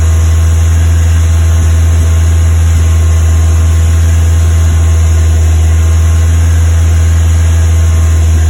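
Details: Westfield with a Ford Zetec engine at fast idle: a deep, steady drone broken by occasional uneven stumbles; misfiring, cause not yet pinned down.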